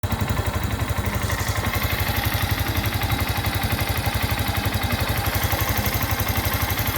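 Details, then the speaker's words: Yamaha Crosser motorcycle idling: steady, very even light tick about three times a second, present since new at 0 km; normal for every Crosser, not a valve fault or defect. "Esse barulho é normal na Moto Crosser, não fique achando que é defeito, não fique achando que é problema, é um barulho extremamente normal e toda a Crosser tem, né?"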